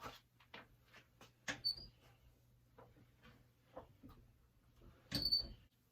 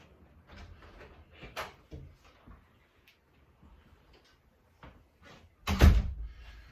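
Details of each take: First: Door with a very slight hinge squeak, before lubricating: door swinging gives two short, thin, high squeaks amid light clicks and handling noise. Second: Door hinge after lubricating with a penetrating squeak product: door swings open and shut with only soft rubs and a closing thud, no squeak left.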